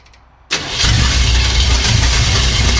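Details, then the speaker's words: 1975 Chevy Monza 2+2 with 350 small-block V8 swap, sat about 20 years, just after installing a new distributor at top dead center: cranks briefly, fires at once into a loud, lumpy but even idle through open headers; normal start. "Oh, hold on. Brother! This thing is rowdy."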